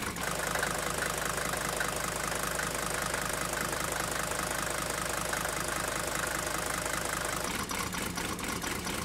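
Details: Mercedes 123 diesel "Digby", cold idle after starting: uneven lumpy clatter with loose irregular beat; runs rough but stays lit, smoking a lot, cause unclear, EGR valve under discussion.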